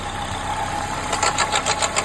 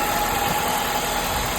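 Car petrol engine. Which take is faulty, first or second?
first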